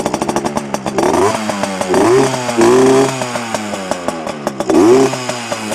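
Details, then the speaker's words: Heavily modified Yamaha PW80 two-stroke with FMF parts, started after cooling somewhat: crisp blips rising and falling sharply between a light, even idle near 2,300 rpm, clean pickup with no bogging, louder than stock; engine runs healthy. "I think she's already open now well but she sounds a lot better than stock anyway um a lot more uh loud as you can hear yeah that's it good old Yamaha definitely better than the Chinese junk"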